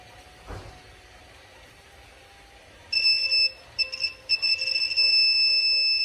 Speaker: this is direct 3 volts this is what it should sound